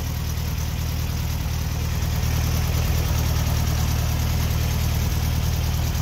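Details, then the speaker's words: 1964 VW Beetle, 40 hp air-cooled engine, 64K original miles, electric choke kicking down as it warms: low, smooth, even idle at about three beats per second; healthy idle. "everything just kicks off the electric choke operates like butter kicks on cold in the morning just like it should kicks down just like it should as the engine warms up"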